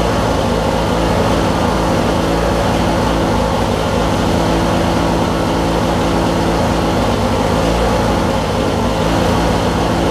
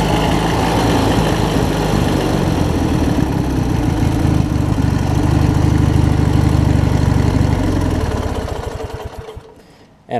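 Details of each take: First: Craftsman LT1000 Briggs opposed twin with 4-screw Nikki carb, returned for cutting out and not restarting when hot; after cleaning flywheel magnet and regapping plugs, deep steady even rumble, no misses; normal running, restarts easier. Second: Craftsman mower with Briggs opposed-twin engine and 4-screw Nikki carb, low-side jet cleaned, running fairly steady with gentle rise and fall in speed then shut off; mild surging remaining, owner attributes it to spark plug gap.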